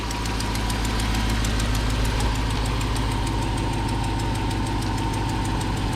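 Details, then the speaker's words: 99-06 GMT800 Silverado/Sierra V8, first start after installing Flashark long-tube stainless headers, Y-pipe and cold air intake: steady sharp ticking at idle from an exhaust leak at a broken front manifold bolt. "of course you can hear the wonderful exhaust leak you can see I got a broken bolt there in the front"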